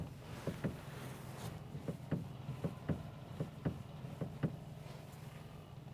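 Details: Dull knocks about once a second, slightly uneven, over low road hum while driving. Owner suspects the steering rack; front-end knock source unconfirmed.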